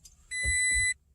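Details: 2016 Toyota Tacoma with push-button start: a single steady half-second high beep at ignition-on, the warning that the key fob is not detected; doors would not unlock and the truck would not start; the cause was a dead key fob battery.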